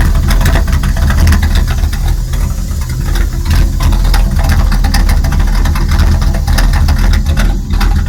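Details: 1999 Dodge Ram 1500 5.9 V8 idling in neutral with lumpy, uneven beat and occasional stumbles; intermittent, only at idle out of gear, with reported loud hiss from top of motor and rich smell, though no hiss stands out here.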